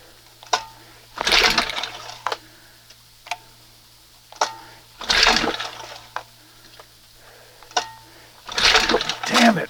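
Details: 1971 Johnson 20 hp outboard with failed OMC primer pump and carburetor just quick-set: three pull-starts, each a short rasping burst that dies at once; cranks but won't catch; owner suspects carburetor/butterfly setting too far open.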